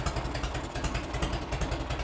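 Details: 1986 Harley-Davidson Heritage Softail, 29,000 original miles, idling after its first start in over 10 years: a loping, uneven-beat V-twin idle with a steady low thump and light valve clatter, smooth and healthy; a hose left a mess underneath and the air filter is oily.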